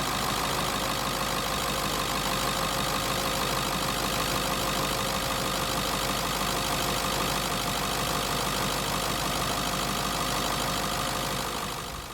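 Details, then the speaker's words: 1996 Ford F-250 7.3L Powerstroke diesel after water pump replacement and coolant refill. Steady, even diesel clatter at idle with no misses or knocks; running good with no leaks. "guys, got her all back together and she's running good, no leaks at all."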